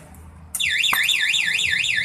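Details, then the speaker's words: Yamaha NMAX with aftermarket anti-theft alarm armed by remote; forcing the ignition lock triggers a high warbling siren sweeping about twice a second, and the scooter cannot be started; anti-theft alarm triggered. "alarm bunyi. Coba hidupkan. Ini motor aman, tidak bisa di starter."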